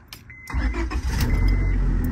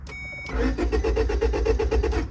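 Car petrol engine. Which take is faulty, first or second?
second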